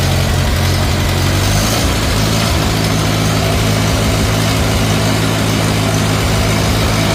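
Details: 1950 Farmall Cub after an engine rebuild with pop-up pistons, a new magneto and a new on-off switch: a steady, even, quiet idle with a smooth firing beat, no knocks, misses or smoke. Normal healthy running.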